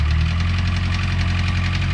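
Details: 1982 Renault 5 Alpine Turbo with a failing engine, driven 921 km: heavy, rapid, regular bottom-end knocking over a rough idle after oil starvation; cause suspected, not confirmed.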